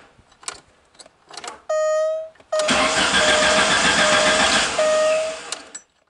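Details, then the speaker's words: Alfa Romeo Spider after sitting over winter: starter whirs in short bursts, engine briefly catches, runs rough, dies; owner suspects the main high-pressure fuel pump, which now makes noise, plans pump and fuel filter replacement. "won't stir anymore um that's right now it's problem is the pump does make some noise now"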